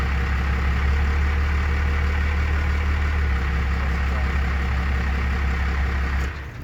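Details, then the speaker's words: Engine after replacing the throttle linkage ends, before adjusting the idle screw: deep, slow, steady thumping idle at about three to four beats a second, roughly 300 rpm; idle speed set too low. "It's idling at like literally 300 RPMs. And you ideally want that bumped up to at least 5."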